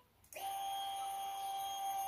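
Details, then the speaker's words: Honda Vario 125 LED scooter with electrical failure: steady high electric buzz kicks in suddenly and holds as the fuel pump runs with the key off, fed when the loose ignition switch connector is wiggled; fault traced to that socket's loose wiring. "Nah, terdengar full pumpnya, padahal ini tidak saya kunci kontak ya."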